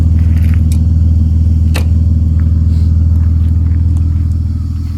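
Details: Ford AU Falcon, misfire under decent/heavy load, persisting after new leads, plugs, fuel filter, cleaned TPS, MAP sensor work and bench-tested injectors refitted: steady low note with uneven pulse, small early stumble then smooths; owner narrows it to fuel pressure.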